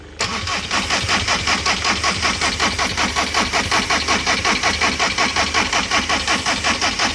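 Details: 2005 Volkswagen Jetta diesel, possibly fueled with petrol, stopped running: starter churns steadily about three beats per second for seven seconds without firing; crank no start, bad fuel pump suspected.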